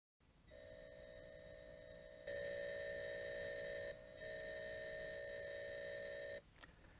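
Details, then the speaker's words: Atari loading Zaxxon, about 8 minutes of data, heard through the TV: steady high data tones with short gaps between blocks; normal load. "Zaxxon is a particular difficult one because it's 7-8 minutes of data and it's got to play well the whole time."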